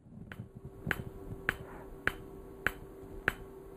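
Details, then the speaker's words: PEMF-100 high-intensity pulsed magnetic therapy device turned up in intensity. Crisp, evenly spaced snapping clicks about 100 a minute as the coil pulses normally; a knocking is felt in the hand. "okay and you can hear how that clicking settled down I haven't initiated any contractions in my hand but I can feel it like knocking in my hand now"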